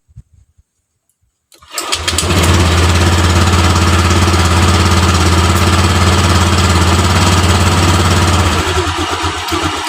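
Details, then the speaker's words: Honda Vario LED scooter with hesitation, loss of power and stalling: after the TPS was reset to its lowest 0.5, the engine starts and settles into a steady, slow idle that is set too low; idle is then raised to 1500 rpm. "dan di sini RPM rendah Jadi kita setel untuk rpm-nya kita tinggikan sampai 1000 500"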